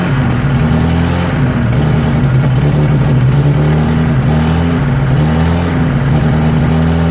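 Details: 1963 Nissan Junior ute restarted after sitting 15 years, carburettor leaking: lumpy, uneven beat that sags and hunts instead of settling; won't idle, runs better on choke, owner suspects fuel starvation at idle; vacuum leak.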